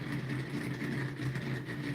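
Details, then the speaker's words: DIY pulse motor spinning, magnets snugged in their holes with fabric softener: steady low hum with a rough, slightly pulsing rumble that sounds like parts wiggling, but it is the rotor bearing. "You they like right here, it sounds like they're wiggling, but that's the bearing."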